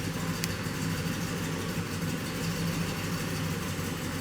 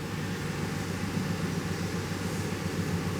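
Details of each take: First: 2007 GMC Yukon, 5.3 L V8, stalls after starting, then idles lumpy and sloppy with a nasty irregular misfire; a leaking intake valve is the first suspect. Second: 2007 GMC Yukon 5.3L after repair of its classic misfire, shaking and stalling, started in clear flood mode. Nice cranking rhythm, then a smooth, even idle with no misfires. The knock sensor code is unrelated.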